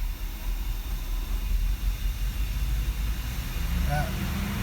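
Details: 1989 Mercedes-Benz W126 560SEL V8, in gear after cleaned idle speed control valve fitted: deep idle rises and sags, bouncing; valve still sticks, internal spring gone, stabilizes near 85°C coolant — hunting idle from faulty valve, needs replacement.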